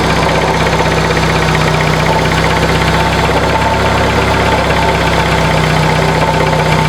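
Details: 1996 Dodge Neon idling: constant gritty scraping grind over an even idle, not in step with firing, louder when revving; worn alternator bearings, easily mistaken for internal engine noise.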